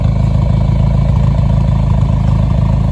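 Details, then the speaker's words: 1993 Nissan Hardbody KA24E with stage 1 cam: loud, steady idle with fast light clatter over the exhaust beat; normal valvetrain chatter of the performance cam. "But you can kind of hear that stage 1 cam"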